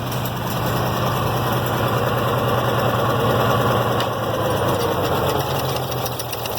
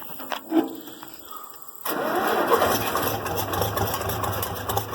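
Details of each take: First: IH Farmall 706 tractor, sat over two years, mowing hay with the PTO engaged: the beat sags and dulls under load and never reaches full revs; bogging, owner suspects water or sediment in the fuel or carburetor. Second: IH Farmall 706 tractor that sat over two years, started after fresh fuel was added and the carburetor filled: quiet, then it catches cleanly in under two seconds and settles into a steady, healthy idle; normal cold start.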